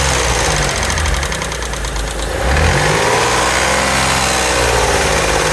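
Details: Mitsubishi 3000GT V6 at idle: light quick ticking of about three to four taps a second over the engine hum; lifter tick suspected, not confirmed. Valvetrain ticking at idle.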